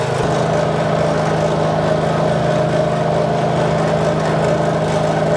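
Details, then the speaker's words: Honda 5.5 hp single-cylinder engine on spray rig driving a replacement pump at about 100 psi, after gas tank cleaned of varnish, new carburetor and non-corn gas; steady even drone, no misses, surging or knocking, normal running under load. "The engine ran well once I got the varnish out of it and put some non-corn gas in there. So the Honda motor runs well."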